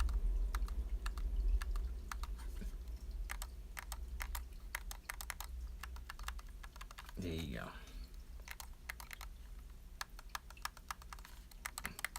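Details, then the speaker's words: Xbox Elite controller that failed after nine months, left shoulder bumper after temporary DIY repair: crisp sharp clicks about three a second over low room hum, snapping and springing back cleanly; before repair it had no clicky sound. "And last but not least, the bumper, the left shoulder. You can hear it sounds like clicky, and now it bounces"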